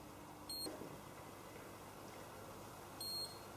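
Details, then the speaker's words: Handheld galvanic facial spa used on skin misted with moisture spray: two short, high beeps about two and a half seconds apart in a quiet room confirm skin contact and readiness to begin treatment. "so again we hear the beeps initially you telling me that we have made contact and we're ready to begin"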